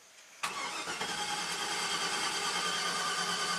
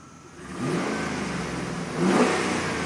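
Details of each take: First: 2009 Chevy Silverado 3500HD at 421,000 miles that stalled and won't restart, cranked while watching the cam and crank counters; both spin. Fast, even cranking with almost no compression pulses and no catch, crank-no-start; a jumped timing chain is suspected. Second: 2009 Chevy Silverado 3500HD at 421,000 miles, after the crank-no-start repair, with the upstream O2 sensors unplugged so it runs open loop; the downstream sensors read 0.9, so it is not lean. Revs up twice and settles smoothly with no roughness, running much smoother.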